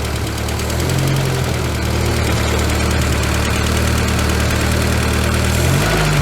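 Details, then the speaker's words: VW Scirocco MK2 with Pierburg 2E2 carburettor, first run after three years sitting: steady idle on the waxstat fast-idle step, speed too quick, being lowered via the Allen screw; later about 1100 rpm once warm. "so we're now on the wax stat that speeds too quick so let's bring that down"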